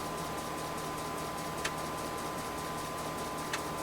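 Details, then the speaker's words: Convergent Technologies AWS formatting an 80-track disk on a substituted 3.5" floppy drive, real disk media, near tracks 60–71: steady whine with a sharp single head-step click about every two seconds; normal formatting. "okay well it's real disk media but we're proving out that this can work now for the second time the system functions past track 43."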